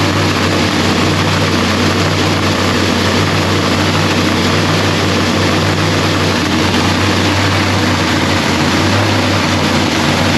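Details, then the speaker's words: Procharger-supercharged Lexus race engine, freshly rebuilt with new parts, running a quick heat cycle. Loud, steady, deep drone holding one pitch for ten seconds with no misses or knocks; runs clean and healthy. "Kyle really couldn't hear me because this thing was just back here screaming. She sounds so good."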